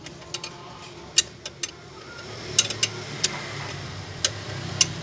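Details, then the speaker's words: New Avanza 1.3 at idle on a cool early morning: sharp, irregular high chirps every second or so over a low hum; hardened fan belt slipping, needs replacing, worn tensioner pulley suspected. "bunyi citcit tali kipasnya bosku harus ganti sudah"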